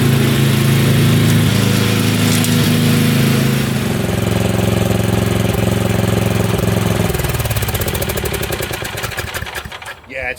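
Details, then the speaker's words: Craftsman riding mower with Tecumseh engine leaking oil from a seal, mowing: steady, even single-cylinder drone under load with no misses, then winds down; running well, cutting a little differently possibly because the deck is jammed from wet grass. "it's running real well it's cutting a little different probably because it's all jammed underneath from yesterday cutting High wet grass but it's it's running really good"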